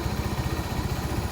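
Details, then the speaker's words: Honda Supremo 150 after replacing worn valve guide and damaged valve to cure valve ticking: even low single-cylinder thump at about ten beats a second, no top-end tapping; now quiet, healthy idle. "Papalitan na natin Ayun tahimik na siguro naman matua na mayari nito"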